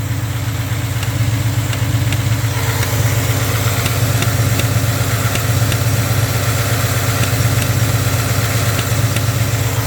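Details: 2016 Ford F-150 5.0 V8 at idle, heard with the air box off: faint, light ticking, about two to three a second, long suspected as cam phasers or solenoid, traced to the throttle body; truck runs fine.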